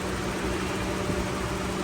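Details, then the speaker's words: Toyota Revo at idle with AC on, after recharging and adding oil to the AC compressor: a smooth, steady compressor hum with no grinding or rattle. Gauges read about 43 and 175–225; the noise is gone. "O tingnan niyo po ngayon kinargahan natin nilagyan ng langis. Ah yung compressor wala ng ingay."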